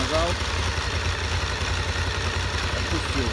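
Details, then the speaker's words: Honda VFR 750 after clutch basket repair (clutch-side knock that worsened when hot): even low idle while the clutch is pulled and released, with light camshaft ticking; the knock is completely gone, healthy. "слышно как распредвалы работают и всё А там еле-еле что-то намного лучше стало ну в принципе тук вообще ушёл не стучит"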